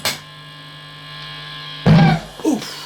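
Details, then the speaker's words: Valve guitar amplifier turned up to volume: steady low mains-type hum with buzzy overtones persists after rewiring; amp still noisy, problem not fixed, cause not found. "that's the noise so it's not fixed so"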